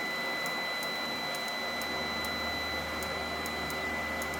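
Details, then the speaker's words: Parallel 12 kW inverter setup, units failing after about 48 hours: sharp irregular ticking or clicking about twice a second over inverter hum, fan hiss and high whine from unit number five, which then shuts down with an error passed to number six. "but we know number five makes that noise that kind of like ticking noise or clicking noise so that means number five has the problem yep see shutting down shutting down"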